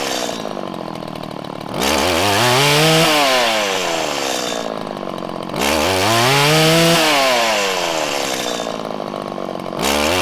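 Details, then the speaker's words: 1997 Stihl Pro FS two-stroke trimmer during carburetor low-side screw adjustment: set too lean, it stumbles and hesitates on rev-up with a larger dead zone, then blubbers unevenly at the top. "you could hear when i went too lean and it started to break up and it was having trouble ramping up there was a larger dead zone"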